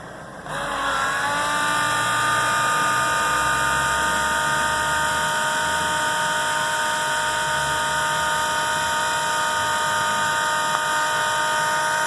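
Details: Macerator pump pumping out an RV black tank again after backfilling it with fresh water for about a minute: even, steady high motor hum with fluid noise, no surging or grinding; running normally.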